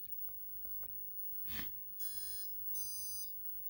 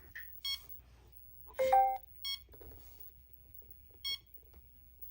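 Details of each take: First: OMP M2 V3 Pro helicopter on Mikado VControl: two steady high half-second beeps in a quiet room as the controller resets normally after saving settings with S-Bus range set to Futaba. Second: OMP Hobby M2 V3 Pro heli with V-Bar Neo Mini receiver on Mikado Vcontrol: short high beeps about every two seconds while connected, because the S-Bus receiver type wasn't set to Futaba in the OMP app.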